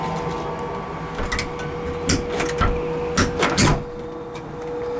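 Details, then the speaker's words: Decoverly middle-floor power-vent water heater (40,000 BTU, installed instead of a fanless direct vent): steady loud fan hum with constant mid-pitch tone, easily heard downstairs, on the porch and sidewalk; typical power vent measures about 74 dBA. "And so these power vents, you can hear them very easily downstairs."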